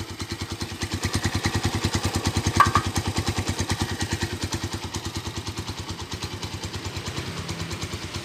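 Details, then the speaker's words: Standard 2012 Honda Tiger Revo, long unused: even steady single-cylinder idle with crisp regular firing pulses about three per second, characteristic sound intact; normal idle. "Lara kan, kalau untuk stasioner yang masih mempunyai suara khas ketara banget kan."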